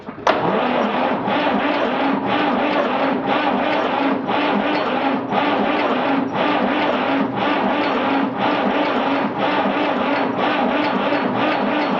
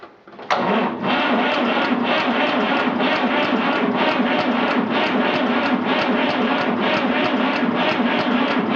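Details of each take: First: 1959 Fordson Dexta with a 3-cylinder Perkins diesel, sat about six months, cold, on a small battery, started with ether after a very hard start: it catches and settles into a steady, even chug about once a second. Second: 1959 Fordson Dexta 3-cylinder Perkins diesel, sat about 6 months, very cold, small battery, ether used, glow plug not heating: slow labored even cranking about three beats a second, never firing; insufficient cranking amps suspected.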